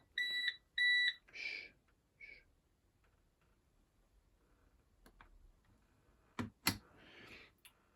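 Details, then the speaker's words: Bosch WFP3300 washing machine on a drain cycle: two short high double beeps, then quiet with faint clicks; still showing fault 03, owner suspects drain pump though its blades were seen turning before. "It's still giving the fault, which is no good. I think that fault 03 is the pump, because pumping is what I would expect to happen next."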